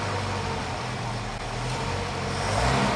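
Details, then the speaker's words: Mercedes 190SL under restoration, first run after layup with rebuilt carburettors, new fuel pump, starter, ignition cables and plugs, not cold: engine revs smoothly, no misses or hesitation; healthy. "it'll probably run on its own without a choke because it's it's not cold and it's a nice clean fuel new carburetors new pump"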